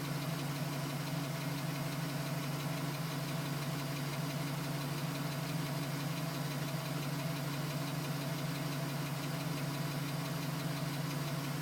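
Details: 2010 GMC Sierra with 2000 miles, cold start idle: light, even tapping about three per second over low hum, persisting at 4 minutes, stopping at 5 minutes 42 seconds as it warms; owner suspects piston slap, unconfirmed.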